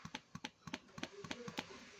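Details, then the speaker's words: Electric fuel pump jammed inside: sharp irregular ticks, about four a second, with no steady hum. The internal diaphragm often jams, and this bolted type can be opened and repaired. "یہ دیکھو، اندر سے ایندھن pump. کیا آپ آواز سن سکتے ہیں؟ یہ جام ہے؛ اندر سے ٹک ٹک کی آواز"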